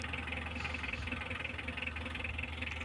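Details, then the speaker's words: 2015 Mitsubishi L300 diesel started after timing belt and bearing replacement, cranked by hand first to check for valve-piston contact; even steady idle with regular clatter about three beats a second, no odd knocks. "Oke teman-teman, ini sudah berbunyi lur ya, wis sip, suaranya enak ya lur, karena ini memang tahun 2015 sudah ganti 2 kali timing."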